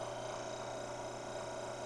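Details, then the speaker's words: Mockmill 200 home stone grain mill at its finest setting: steady motor hum with a rough, gritty rasp as the two stones touch and rub together. "this is really the finest setting that I would mill at because those stones are together to the point that the stone itself is creating friction with the other stone and you can hear it"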